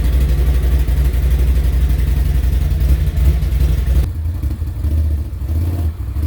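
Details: New 2021 Can-Am Outlander 850 XMR after no-start on first ride, refueled with a couple of gallons: engine catches and pulls cleanly, revs rise then settle to a steady beat while riding; runs fine.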